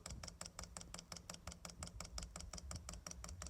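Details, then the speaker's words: Chinese diesel heater on a bench test, first fire-up, dosing pump priming with fuel now entering it. Light, even, fast ticking at roughly five clicks per second over a quiet background. Normal fuel pump ticking. "here it's speeding up getting something that fuel in our lubrication once that fuel gets in that fuel pump and search lubricating it it should quieten down quite a bit to"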